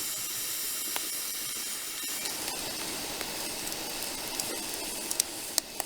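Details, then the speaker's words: Small wood-fired pottery kiln struggling to rise in temperature: steady high hiss with crackles and pops as wet firewood boils off its water. The fix is burning drier wood. "The wood that I have is not dry. It takes a lot of heat to dry it out before it actually adds heat to the kiln. You can hear it hissing actually in the kiln right now."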